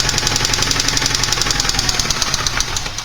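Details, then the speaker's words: Porsche 944 engine, connecting rod knock example: fast sharp tapping over running noise, keeping time with revs, from worn rod bearings; can range from light tapping to deep thunking with severity and grows louder as engine warms and oil thins. "in terms of connecting rod knock the sound can range from a light tapping to a much deeper thunking sound depending on the severity of the problem"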